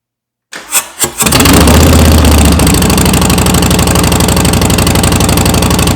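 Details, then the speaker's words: Harley-Davidson Softail Slim after stage one: Vance & Hines BigShots staggered exhaust with standard baffles, FP3 tune, S&S Stealth air cleaner. A few cranking turns, then a loud, deep, throaty, steady V-twin idle. Normal start and idle. "Wow, these things sound great. I mean, they're loud, don't get me wrong, but it's a nice, throaty, deep sound."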